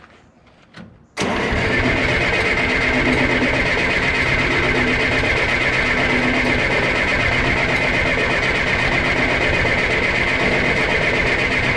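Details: John Deere 480B diesel during fuel system bleed, injector lines loosened: steady starter cranking, about two to three compressions a second, never catches; air in fuel lines suspected. Crank, no start.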